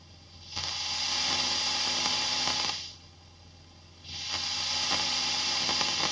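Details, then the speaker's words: Fender ProSonic valve amp on the bench after a full recap, miked at the bench cab with volume full up. Hiss jumps into loud scratchy bursts as the normal channel's volume and treble controls turn, then drops back: noisy, dirty pots. "Okay. So, we do have some rustling and some noises coming from both the volume and the treble control on the normal channel."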